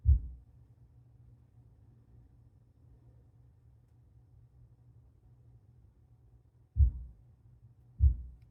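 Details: MSI MEG X670E Ace motherboard with existing speakers: three deep, dull low-frequency thumps through the subwoofer over a faint hum during boot. It thumps six times per boot, which previous boards never did.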